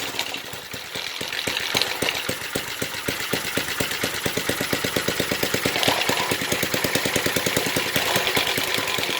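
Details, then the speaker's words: 1970s Briggs and Stratton single-cylinder rotavator engine, revived after about 3-4 years unused, throttle open: even steady thumping beat holding speed without misses; sounds healthy. "What a beast! There we go, running and working, sort of. 1970s thing, God knows how long it's been not used for."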